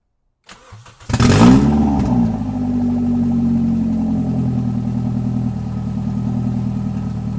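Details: Toyota 1NZ-FE that would not idle on its own, started after checking the idle air control valve and a throttle-body port: short crank, brief flare, then it settles into a steady, even low idle that holds by itself.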